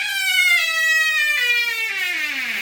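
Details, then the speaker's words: Squeaky door hinge: a long, drawn-out creak whose pitch slides steadily downward as the door swings, caused by the hinge rubbing. "sounds like it's out of a horror movie"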